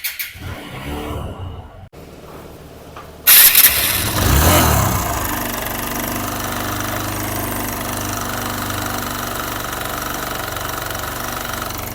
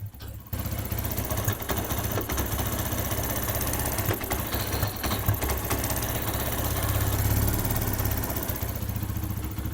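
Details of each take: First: TVS Apache RTR 160 BS6 idling after start: fast, loose metallic chatter about three per second over the idle, a slack timing chain rattling loudly; timing chain to be replaced, oil also leaking from the cylinder head. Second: TVS Apache single-cylinder after timing chain replacement and diesel cleaning: steady, even low idle thump with no timing chain or tappet noise; healthy normal idle.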